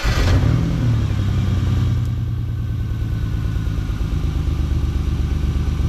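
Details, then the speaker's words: 1995 Ford Explorer, dash reads 243,000 miles, idling after cleaning bad spark plug connections (cylinder 1 has spark): low, uneven idle that lopes and stumbles every few beats; misfire persists. "Still pretty good miss there, huh? Yeah. Okay. That one's getting spark."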